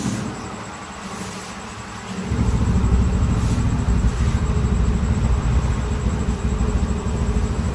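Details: TVS Ntorq 125cc scooter after engine opened and timing chain and pads replaced: quiet start settling into an even, steady low rumble with no chain rattle or tapping. Finding: normal idle.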